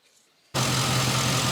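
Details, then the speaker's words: 2005 Chevy Tahoe V8 after misfire fix (had still misfired on cylinder 1 until a bank of coils was plugged in): engine catches and settles into a smooth, even idle with no stumble, misfire gone. "I think we fixed it. Running so good. Nice and smooth. Wow. It's really smooth."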